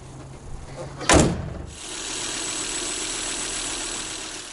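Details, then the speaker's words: 2000 Volvo V70 B5244S 2.4 naturally aspirated five-cylinder after new spark plugs and ignition coils: short crank, then a quiet, steady idle with no stumble or miss, no engine codes. "all right that's it engine's running nice and smoothly again no engine codes on i'd call this a success"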